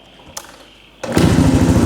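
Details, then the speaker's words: Restored 34-year-old 1990 Suzuki DR650 R Dakar single-cylinder catches and settles into a steady, even thump with a clean, inoffensive muffler note; healthy runner after restoration. "there you go nice nice that muffle is not offensive either sound ah it's good"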